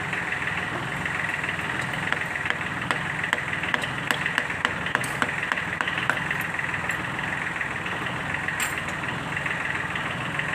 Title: tractor engine Sound problem fixed,valve seat and piston ring replaced Sunshine L1-255/ D1462-TV